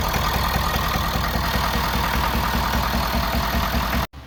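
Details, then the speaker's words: 2011 Ford Super Duty 6.7L Powerstroke diesel: rough lumpy idle stumbling like one cylinder missing, with an odd exhaust sound; cylinder 6 has lower compression and little blow-by; dropped or burnt valve suspected. "But with that sound coming out of the exhaust, I would assume we have a drop valve or something, burnt valve or anything like that."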